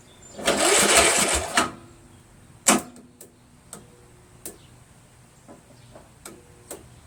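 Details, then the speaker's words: Free, water-logged Craftsman LT1000 with a 16HP Briggs OHV, cranked first time by jumping the solenoid after draining the water, an oil/ATF flush, freeing it up, a magneto swap and brake cleaner in the plug hole; about a second of brisk even cranking, then scattered clicks. "actually sounds pretty good"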